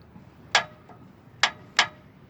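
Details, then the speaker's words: 2002 Nissan Frontier 4WD: sharp clicks when put in gear, loud inside the cab; noise briefly stopped after a driver-side ball joint replacement; owner suspects motor or transmission mounts or something loose; click/clunk when shifting into gear. "well folks this is a 2002 Nissan Frontier and I having a problem when I put in gear make a noise like click looking for motor mounts transmission motor mounts or something loose over there"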